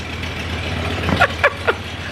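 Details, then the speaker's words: Camper engine after the exhaust manifold job, first start in months: low, steady, quiet idle hum with no ticking or puffing at the manifold; no exhaust leak now; normal idle. "is that how it sounds now it's this quiet like that i was waiting for the there's no exhaust leak now"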